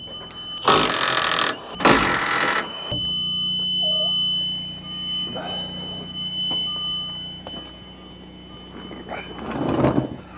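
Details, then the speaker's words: Bobcat T76 R-Series skid steer with panel off and won't turn on: steady beeps about once a second from backup alarms plus front buzzers, loud bangs between; electrical fault after months of rain and snow, cause unclear. "we've got can you hear it back up alarms going off if you can hear it and then around the front buzzers are just going off but the panel [Music] but the panel is turned off we just got alarms and stuff going of"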